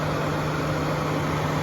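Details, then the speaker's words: 2015 GMC Sierra 1500 4x4 with the 5.3 L V8: the radiator fan keeps running with the engine off, giving a steady whooshing hum with no engine beneath it. The owner suspects a bad thermostat and temperature sensor, which were later replaced to fix it. "Can you hear that? The fan is continuing to run with the engine off."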